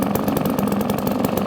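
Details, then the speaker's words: 1954 Atco kick-start mower with a Villiers Midget two-stroke, just started after sitting seven or eight months, running normally: a crisp, even two-stroke beat at about fourteen firings a second, a steady popping idle. "you won't get that sense of achievement and feeling of cutting the grass without hearing that sort of noise it is it is an acquired taste"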